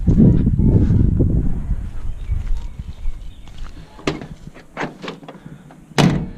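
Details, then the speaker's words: Chevy square body truck door, fully latched, rocked: a few dull clunks as it shifts on the striker pin because the bushing is missing. "if your door rattles when it's fully latched, like that, you can hear that, and it's just it moving on that pin because there's no bushing there."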